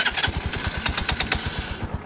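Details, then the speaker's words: Scooter at idle, fuel additive mixed in the tank: even low thumping at about ten beats a second, steady and unbroken with no misses or rattles. Engine idling smoothly, normal. "Yun ang mga sikreto natin mga kapatid. Kaya yung ating makina napapanatili nating smooth."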